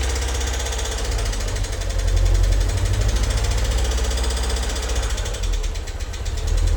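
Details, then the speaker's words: MG TF after head gasket, water pump and timing belt replacement, started after five or six weeks standing: loud, rapid metallic tapping from the tappets, gone after about 10 minutes once oil reached them. "And just a quick note to say the horrendous tappity noise your tapping noise you can hear when I start the engine up. Uh that was the tapets. Uh they've been standing still for five or six weeks."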